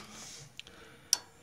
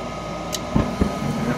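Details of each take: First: Goodman furnace not working, call for heat: two sharp relay clicks in a quiet room and no motor spinning up; the induced draft blower never starts and the board shows 3 flashes; motherboard later found faulty. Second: Goodman furnace with a faulty motherboard (3 flashes) running with the induction motor manually bypassed: a couple of ignition clicks, then a steady low rumble and even blower hum build as the burner lights and keeps running smoothly.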